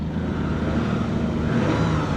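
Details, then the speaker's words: Toyota truck at auction, running engine with a faint steady whine from under the hood above engine note; transmission suspected, source unconfirmed. "there's a wine from under the hood yeah I'd be very concerned about the transmission on this one very concerned"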